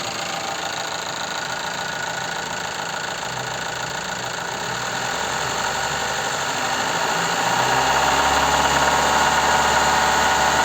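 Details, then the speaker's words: Toyota Gaia 2.0 3S petrol engine, oil neglected: revs up and back down with a steady knock from the lower block that speeds up with revs; connecting rod knock. "и вот матрицы даем газа пропала еще раз вот так откуда-то блока этот звук исходит снежный что с нижней части немножко из далекого"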